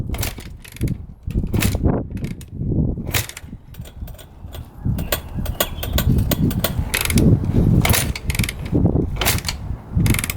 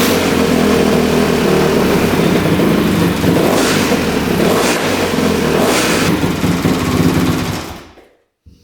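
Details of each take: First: 2006 Honda CRF250R, fully rebuilt by the previous owner but never fired, kicked on choke with fuel flowing to the carb: uneven kick-over thumps about once a second, never catching, odd loose-cam-chain-like sound. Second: 2006 Honda CRF250R single-cylinder, fully rebuilt (new bottom end and top), apparently the first start since the rebuild after the throttle screw was adjusted. Loud, even thumping through the throttle blips, no misses; the owner believes a clogged line caused the earlier no-start.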